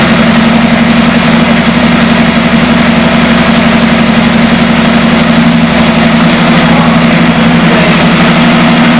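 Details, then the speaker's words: 1973 Chevrolet Camaro V8 revived after long sitting with crank-no-start, fresh fuel filter between tank and pump, no oil pressure gauge: loud, even burble at steady idle, no misses, knocks or hunting; idles well, though it later died. "H overall sounds really good though and it idle really well"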